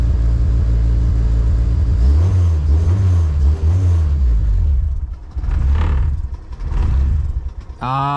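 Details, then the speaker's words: K24-swapped Honda EG on K Pro, first start-up, cold and with no idle air control valve fitted: revs surge and sag every second or so as the engine hunts for idle and cannot hold steady. "was trying to hold up on its own, but this car is cold and it doesn't have an idle air control valve."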